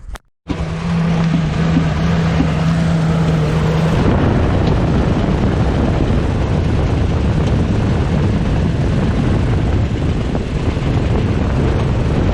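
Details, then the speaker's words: Engine after valve cover removal, some valves found dry and sprayed with penetrant, all moving; loud lumpy idle with deep, uneven thumping knock, owner thinks it sounds internal, maybe the cam; cause unconfirmed. "Well, I don't get it. Could be. It sounds internal. Maybe it's the cam."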